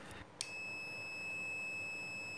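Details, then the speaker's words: Microwave with the display on but not heating: multimeter on continuity testing a normally open door switch, pressed with both terminals connected. A click, then a steady high-pitched continuous beep; the switch closes properly and is good. "Dan bila kedua terminal tersambung lalu switch kita tekan, maka akan terdengar suara beep dari multimeter."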